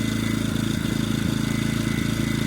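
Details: EcoFlow dual-fuel generator running on propane at maximum load of about 1700 W, steadily with an even, regular exhaust beat and a faint whine, after the propane regulator was tuned.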